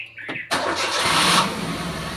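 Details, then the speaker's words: Maruti WagonR after fixing a belt noise problem, restarted with the windows open. Short crank, then catches cleanly and settles into an even idle with no squeal or chirp from the belt; normal start. "तो आपने देखा कोई extra belt की आवाज नहीं आ रही है। ठीक है?"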